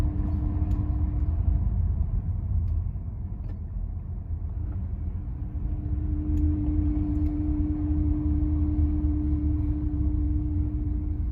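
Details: 2001 Mercedes CLK55 AMG at idle: a steady mid-pitched hum rising and fading over a low idle rumble, from the belt tensioner pulley.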